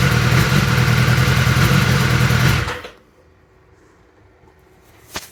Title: 2021 s1000r misfire